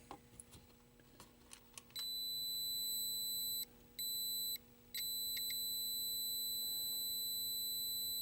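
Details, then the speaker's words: 1983 Atari Cloak and Dagger arcade PCB on test, logic probe on audio lines during gameplay: high steady beeping bursts switching on and off over faint room hum as sound data arrives; logic probe pulsing on active audio signal. "so you can see when that logic probe goes crazy that sound yeah"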